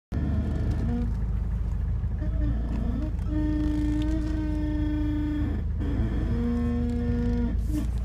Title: Eclipse creaking sound when turning